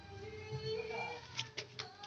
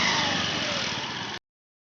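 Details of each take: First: Honda Beat Street scooter CVT at idle: fast uneven metallic rattle that disappears when throttled; suspected worn roller housing or rollers, which were then replaced. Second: Honda Beat Street scooter with a rattling CVT noise at idle, after the roller housing and rollers were replaced: brief smooth even rev with no rattle or knock from the belt drive; noise gone, normal CVT revving.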